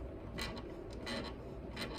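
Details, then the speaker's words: Classical guitar tuning machines: three short creaky, crunchy squeaks as a tuner is turned, like an unoiled hinge; most of this guitar's tuners make some noise. "So you hear that kind of squeaky crunchiness. It's almost like a unoiled hinge."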